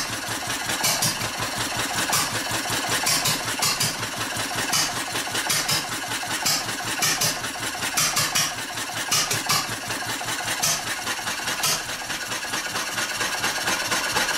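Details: Old stationary engine with fuel shut off: uneven firing, about one bang a second with ragged gaps, as it starves and runs out of fuel before stopping.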